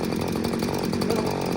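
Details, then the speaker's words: New Little Beaver TCS4600 chainsaw, just unboxed and fuelled, started in the cold then run on high idle with choke in to warm up five minutes; fast, even two-stroke buzz with no surging or sputter, normal high idle. "Give it a pull. let it run on high idle, chokes in. I'm gonna let it warm up for, well, at least a good 5 minutes while I get my gear on."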